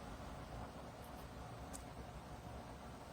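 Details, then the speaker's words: Dreo 25dB tower fan at top speed (level 12): steady, even rush of air with a soft motor hum, no ticking, whirring or bearing growl as heard on the Pilot Pro; fan running normally. "So at this speed you could hear it blowing blowing air and you could hear the uh the motors I mean the motor I should say spinning but at least to my hearing I I don't hear that slight worring or bearing noise that I did in the Pro."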